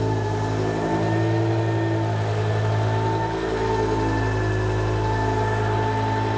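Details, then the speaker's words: BMW E60 M5 S85 V10, first start after new rod bearings, no coolant yet, secondary air pump hose disconnected: steady, even idle with a smooth low hum, no knocking or ticking; engine sounds healthy. "Okay. Everything actually sounds really good."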